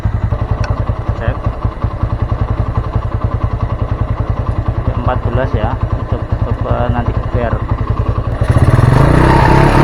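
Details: Honda Mega Pro Primus single after a CDI replacement and a shorted ignition-switch wire repair; charging checked at 14–15 V: steady, even idle thump with clean firing pulses, then a smooth rise in pitch when revved; normal running.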